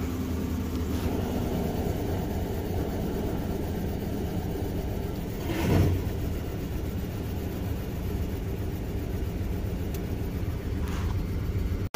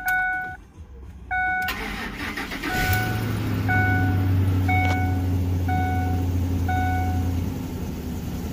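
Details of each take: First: 2006 Ford F-150 5.4 Triton V8 after fixing a cylinder 8 misfire, which was traced to a loose spark plug with a broken tip that had caused a tick for over a year: steady, even low idle with no tick or stumble; smooth, healthy. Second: 2006 Ford F-150 5.4 Triton V8 that ticked for over a year until a spark plug tip broke off into the cylinder, unretrieved: door chime, then cranking and a low, uneven, shaking idle, a misfire.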